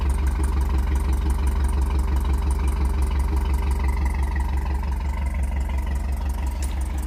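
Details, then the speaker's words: Cammed Tahoe V8 with DOD delete, cold start: lumpy idle with a sharp tick on every exhaust pulse, about two a second, louder now; exhaust leak at manifold flange, header gaskets suspected. "and so there's that thing I called an exhaust leak and it's louder now so I know for sure has to be an exhaust leak"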